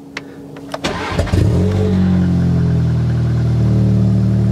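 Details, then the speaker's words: Forged Audi S3 8V, cold start at 8:30am in freezing, frosty weather. The starter whirrs, the engine catches with a brief uneven splutter, then settles to a steady raised cold idle, which is normal for the cold. "You can hear the car there spluttering a little bit. That's completely normal, as Nathan showed on his Golf R."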